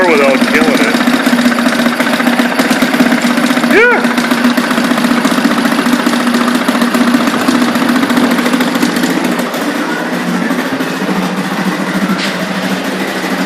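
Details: 1976 Ted Williams (Sears) 7.5 hp two-stroke Tecumseh air-cooled outboard, running in a test tank after carb rebuild, new fuel lines and lower unit oil change: steady, even buzz with no misses or knocking, running healthy.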